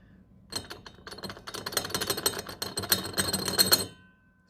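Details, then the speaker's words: Custom-fabricated prop shaft being test fitted, worked by hand: dense metallic clattering and ticking of ball bearings rattling loose in a dry, ungreased CV joint. "happens when there's no grease in there right all that noise"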